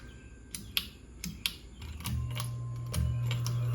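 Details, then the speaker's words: 2014 Hunter Castleton 70-inch ceiling fan run without blades: a few sharp clicks, then a steady low motor buzz that holds; motor buzz. "and also the fan buzzes like crazy I tested the fan out too and there was snow blades and that's why it bu was yeah here's the clip"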